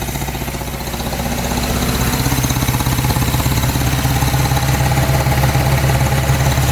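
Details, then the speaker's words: 1953 Hillman Minx barn find, first run after 30 years, run briefly with no coolant and little petrol, warming up: low, even thumping idle at about three and a half beats a second, firming slightly as it warms; normal idle. "Can't have it running long because we've got no water in it. But check that out."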